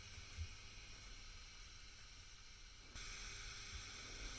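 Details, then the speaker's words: Fender Bassbreaker 15W tube amp head after repair (shorted R13 found, red-plating output tube), voltage raised from about 150 V: soft steady hiss and faint hum stepping up slightly as turned up; no crackle, idling cleanly, no red plating. "Now, let's go up a bit more. You can hear that that's now running."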